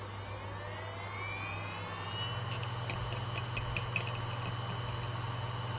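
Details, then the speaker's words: Orico 1106SS SATA hot-swap drive bay teardown: hard drive plugged into SATA power connector, recorder behind drive; faint whine climbing in pitch over about two seconds then steady hum with soft ticks as power applied, normal spin-up. "your belt have heard from the recorder I've got behind this drive the motor spinning up on this drive as the powers applied"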